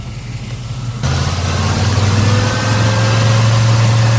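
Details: Black Pearl pickup V8 after a completed TBI throttle body rebuild, which the owner says seems healthier: a deep steady burble that picks up smoothly when the throttle opens and holds even, with no miss or knock. Normal running.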